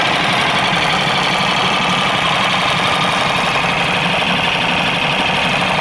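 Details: New small 4-stroke outboard on its first start after unboxing. Busy, buzzy idle with a fast light ticking over a steady hum, a bit loud but even. Normal running.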